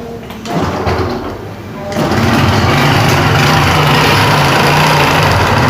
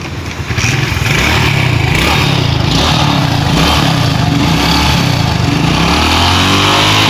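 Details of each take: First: Honda Pop 110i motorcycle at idle: fast, fairly regular clatter about four per second over the engine; blown camshaft bearing, worn cam, replaced along with the tensioner kit. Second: Honda Pop 110i after the failed camshaft bearing and cam tensioner kit were replaced: a steady, even low beat at idle with a crisp exhaust and no knocking or ticking; engine sounds healthy.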